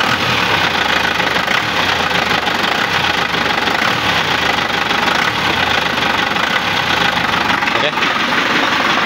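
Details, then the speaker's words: Isuzu Panther LM 2005 diesel test-started before teardown: harsh, clattery idle with heavy rough knocking and loud metallic noise, described as quite extreme; mechanic first suspected worn timing gear and badly worn engine mounts, but the finding is a broken crankshaft. "Oke bisa didengerin ya suaranya ya jadi suaranya lumayan ekstrm"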